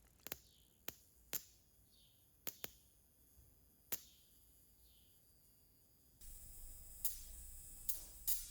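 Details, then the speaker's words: Fine-wire spark plug from a Dodge Viper V10 with only 500 miles, fired in a plug-testing tool simulating up to 9,000 RPM; sparse irregular snaps with long gaps, barely firing, explaining the Viper's power loss; possibly linked to detonation. "you can see in here, this plug is barely firing after only 500 miles of use. So it's no wonder the Viper's down on power."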